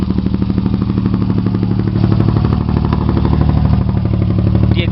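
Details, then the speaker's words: Chevy Sprint turbo 1.0 L three-cylinder after top-end rebuild with Saab 9-3 turbo, straight pipe with two cherry bombs, start low on gas: fires instantly, loud raspy even burble at steady fast idle, normal running. "low on gas but it's really fire up instantly no major problems so let's do it"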